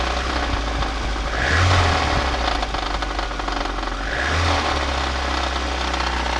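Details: VAZ 2110 8-valve engine. Uneven metallic knocking rides over the running engine and gets louder with each rev rise; a knock inside the engine, cause not pinned down.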